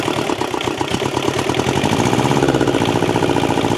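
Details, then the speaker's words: Thermo King TriPac APU with Yanmar 570cc liquid-cooled inline-2 diesel, long unrun, started using its electric lift pump, exhaust broken off at muffler: fires up into a quick lively chatter that steadies; engine in good health, normal idle. "overall I'd have to say this engine is in pretty good health"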